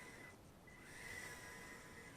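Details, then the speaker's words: Eachine E010S tiny whoop drone with brushed motors during a thrust test. A thin, steady high whine near two kilohertz over a soft hiss is brushed-motor PWM whine; raising the PWM rate to 32,000 makes it less annoying. "it's got that annoying hiss to the motors if you change your pwm rate to 32,000 that will uh make that sound a little less annoying that whining noise"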